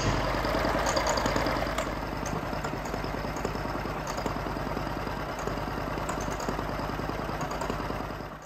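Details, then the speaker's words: 1950 John Deere B two-cylinder: a slow putt at about 200 beats a minute with an uneven, skipping rhythm. Misfire, cause unconfirmed; fuel keeps getting into the crankcase, and it earlier blew oil out the exhaust. "it doesn't sound too bad i mean it sounds a little off but a little office better than not running at all i guess"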